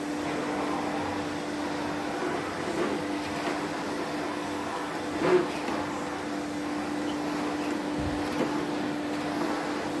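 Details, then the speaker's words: 1972 Electrolux Z310 cylinder vacuum after cleaning very dirty fans and greasing bearings, formerly very noisy: soft steady hum, low even whir, no rattle or grinding, then a quiet wind down when switched off; normal running. "See how quiet it is. Let's bring you over here. Right, we'll turn it off and you can hear the quiet wind down. That is lovely."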